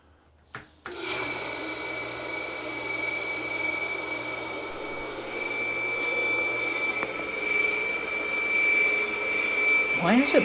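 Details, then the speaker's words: Pond waterfall pump after spring start-up, rotor previously freeze-seized: steady high-pitched whine over a harsh rushing hum; running but far too noisy, owner suspects a bearing, unconfirmed. "making so much noise? Sounds like a bearing. Well, at least it's running."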